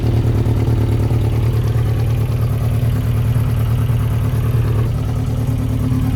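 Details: 1992 Yamaha XJ600 Seca II after carburetor work: lumpy, loping idle at about two beats a second with one cylinder barely pulling. Number two reads 180 against 420–440 for the others. Misfire.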